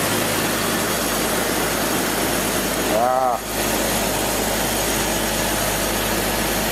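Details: 2002 BMW 330Ci after fuel pump replacement: steady, even idle with a low, constant hum and no knocks or stumbles; engine running cleanly, normal idle.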